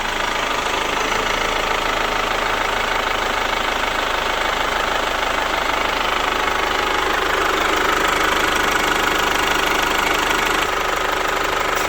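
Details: Chevrolet Captiva FL diesel, revived after sitting 6 years, just started after the starter motor was serviced, exhaust fitted: steady idle clatter at about three beats a second, no misses or hunting, idling normally.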